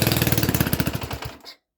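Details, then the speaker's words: Mini tractor engine, first start after 13 years' storage, on choke: small single cylinder fires in quick even beats for about a second and a half, then fades and stops; brief run. "Wow, there we go. It was little, but it went. All them years, and she started."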